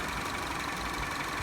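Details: Citroen C4 running after circuit breaker above the battery was reset, fixing no-start with parking brake, engine and charging warnings: smooth, steady idle with no knocks, misses or rattles. Normal idle after repair.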